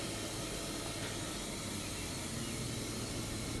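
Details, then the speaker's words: Foxbody Mustang sunroof drain tubes being checked: a steady, unbroken hiss of air moving through the tube with no gurgle; the drain is clear, not plugged. "It's coming out somewhere, too. Again, don't know where it's coming from, but it sounds like it's moving air. So, I got sound out of all four of the holes. So, it looks like that they are not plugged up, which is exce"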